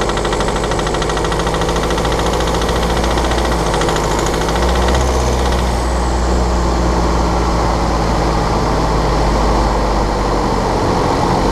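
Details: 2013 BMW 520d F10/F11 N47 diesel, cold and under load at 1500 rpm: fast, uneven ticking rattle over the low drone, traced to a faulty injector pinpointed with ISTA.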